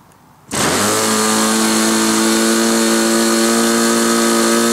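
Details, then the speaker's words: SIG Kadet LT-40 model aircraft engine, early in break-in, just primed and started. It catches and holds a steady, high buzz that sounds soft and a little rough because the needle valve mixture is too rich. "when I turned the camera off I sat and thought about it a little and um realized that uh what was going on um was it was too rich"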